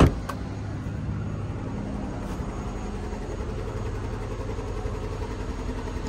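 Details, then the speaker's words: Mercedes-Benz SL55 AMG, 124k miles, tire pressure fault: steady low idle with lumpy uneven beat and occasional stumble, jerk felt; misfire at idle, confirmed by check. "Yeah, it's misfiring or something. I know it is."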